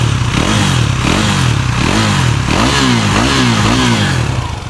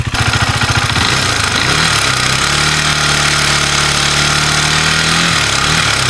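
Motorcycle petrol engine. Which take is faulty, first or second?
second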